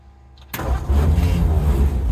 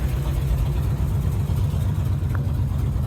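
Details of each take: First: 1951 Ford F1 with rebuilt engine: brief crank, then it catches promptly and settles into a strong, even low rumble; clean, healthy start. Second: 1951 Ford F1 after a full engine rebuild and new wiring harness, at a slow, lazy idle with a deep, even rumble, far below 1500 RPM. The alternator was not charging, and the low idle is the suspected cause.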